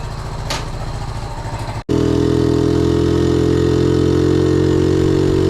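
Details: 1976 Honda Z50J1 Monkey, long troubled by rough running: after a brief stall the small single restarts and settles into a quick, even idle with no misses after ignition work (timing, points, coil); sounds really good.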